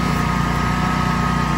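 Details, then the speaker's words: Home standby generator running during a service call after Hurricane Isaias, airflow restricted by growth around the enclosure; steady low drone with slight uneven waver as it starves for air and hunts; engine hunting from restricted airflow. "you can hear it starving for air making it hunt"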